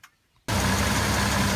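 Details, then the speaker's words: CM Valiant with newly installed aftermarket air conditioning, engine at idle with AC on: after start, smooth even idle with no knocking or whine; compressor barely audible, takes little load, running quietly and healthy. "someone tell me these compressors are noisy that's on that air comes running i can't hear that compressor going at all"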